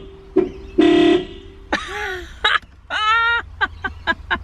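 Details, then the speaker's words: 1995 Nissan Skyline R33 GTS-T turbo, horn tested by jumping the orange horn wire to ground with makeshift wire: short, thin, strained honks rather than full blast; horns seem unhealthy. "can you guys hear that god damn i don't think the horns are too healthy poor thing"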